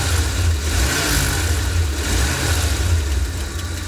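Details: 1990 7.5 V8 big block (E460 engine) at idle: light, fairly quick tick about three per second over the low rumble; engine ticking, source unknown.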